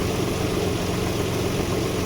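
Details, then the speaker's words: 1995 Nissan D21 Hardbody VG30E V6 after bypassing the faulty-plunger AAC/AIC valve that caused a 1,000–2,000 rpm idle surge. A constant low hum with no rise and fall; the idle is now smooth. "So now no more idle issue. It's idling nice and smooth now."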